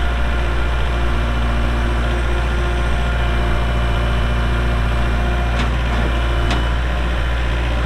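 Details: 2023 Kubota L4701 4WD tractor, 47 HP gear-drive diesel, only 98 hours, with front loader: steady, unhurried low diesel rumble at idle after startup, no knocks or misses; normal healthy idle.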